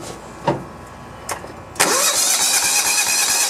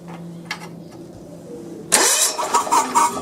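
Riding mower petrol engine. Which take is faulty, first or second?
first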